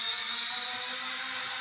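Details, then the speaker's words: Mavic Mini clone drone pushed down while hovering: high thin rotor whine climbing in pitch as rotors speed up; barometer altitude hold working normally. "And as you can hear, the rotor speed is picking up because it knows it's dropping in altitude. So it does have altitude hold."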